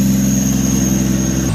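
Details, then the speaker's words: Drift car: steady idle with a thin high whistle over it that cuts out abruptly, coming from the idle air control valve. "You're wondering what that noise is? It's that air control valve. Might as well put a whistle on that thing."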